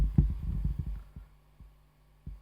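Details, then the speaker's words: Dunlop Rotovibe JS-4S pedal on bypass, signal amplified 35 dB: soft low thumping clicks over a faint hum, spacing stretching as the always-running LFO sweep slows, leaking into the bypassed signal, attributed to a floating ground. "That is when you have it on bypass, there is a clicking noise."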